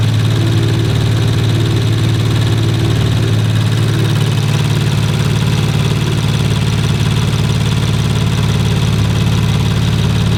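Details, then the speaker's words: Rebuilt 2019 Audi RS5 warming up at idle, no muffler, canister not yet fitted: fast light tick over low hum; ticking at idle, source not pinned down. "i think it might be what's that noise ticking huh they're ticking"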